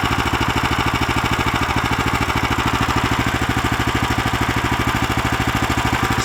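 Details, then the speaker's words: Lifan LF390QE Pro heavy-duty single-cylinder engine, newly fitted as a replacement on a flail mower and running outdoors on a cold day: steady, even thump at a constant speed, no knocks or misses; normal, clean running. "but there we have it the life an FF 3 9 TQ e Pro which is the heavy duty version starts and runs fine"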